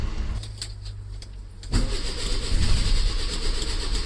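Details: 1968 Lancia Fulvia project car, first start attempt after long time off the road and new parts fitted: starter churns at roughly four beats a second but engine never fires; cranking, no start.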